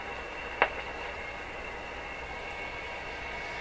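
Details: Rogers 11RA651 shortwave radio during paper/wax capacitor replacement, volume up with no antenna: constant hiss with a thin steady high whistle (heterodyne) and one sharp click; a replaced capacitor did not appear to help, source not yet found.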